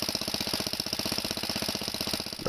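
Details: Cold Kohler tractor engine on last year's gas, primed with gas into the intake: fires into a fast, even putter with no skips or stumbles; normal running.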